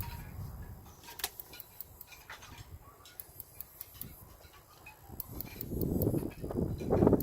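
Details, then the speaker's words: Toy hauler RV refrigerator on gas: igniter clicks sharply about twice a second with no flame catching before the control module times out; check for 12–13 V DC on the two module wires to the gas relay while it clicks. "these two wires that come from the module are turning this on okay if you hear it clicking like this well actually it just timed out"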